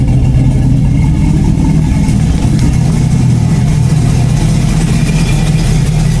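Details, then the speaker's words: Chevy Blazer LS-swap V8 at idle: loud deep rumble with a rough, raspy puffing edge from an exhaust leak, not yet fixed. "So, sounds really mean. There is an exhaust leak. I know everybody can hear that. I will fix that."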